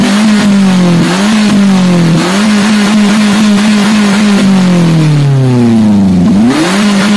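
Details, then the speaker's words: Daihatsu Gran Max revved high: keeps sagging and stumbling, dips about every second and one long drop; clogged catalytic converter caused by poor fuel quality, runs on Pertalite daily. "Jadi, itulah tanda-tanda katalis, katalis atau konverter katalitik tersumbat karena kualitas bahan bakar yang buruk ."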